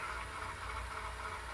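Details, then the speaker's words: VCR fast-forwarding a VHS-C tape in an adapter: steady, labouring whir with low hum underneath, no speed changes; transport straining, VHS-C fast-forward and rewind being rough on VCRs. "God, listen to it. The VHS-C tapes, fast forward and rewinding, it is really rough on VCRs, which is typically why I just have them all up"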